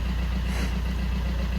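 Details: Fiat 500 diesel with replacement engine of unknown history, after replacing the too-far-gone DPF; settles into smooth, even low idle with steady beat, no misses, knocks or hunting; normal idle.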